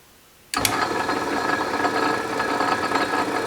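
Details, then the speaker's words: Restored 12-inch Atlas Craftsman metal lathe with back gear engaged and spindle speed greatly reduced runs with a smooth, even whir and light gear chatter, no knocks or grinding; normal running in back gear. "sounds like it's running smoothly you can see here our spindle speed is significantly reduced so back gear is good to go"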